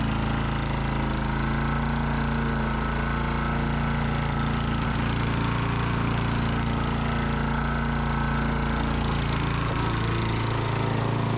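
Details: Sears Eager One lawnmower, Tecumseh single-cylinder, after makeshift connecting-rod knock repair with beer-can metal, throttle halfway: steady speed with even, quick exhaust beat and no knocking; normal running.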